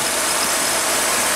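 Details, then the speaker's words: VW Santana AP engine idling after a service with new plug wires, plugs and rotor, injector and TBI cleaning, and a new A/C compressor bearing: smooth, even hiss, no bearing noise left, only the engine heard; normal idle. "O rolamento lá do compressor, não faz mais barulho, ó. Só escuta o barulho do motor."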